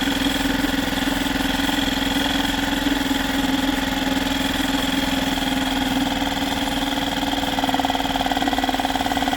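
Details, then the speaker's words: Yamaha 2.5 hp four-stroke outboard after an aftermarket carburetor install, idling in gear while the idle speed is rechecked. It gives a steady, even single-cylinder putter with no misses or surging: normal idle in gear. "So we'll start it up, let it run, put it in gear, check that idle speed again."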